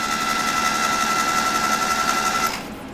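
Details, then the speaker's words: 1972 Datsun 620 pickup, long unrun, cranking after Blaster soak: fast even spinning whir with steady tick three to four times a second, no valve clatter or rod knock; turns over freely, normal cranking. "I'm feeling pretty good about how it sounds spinning over I don't hear no valves of clattering or no rods of mocking or nothing like that"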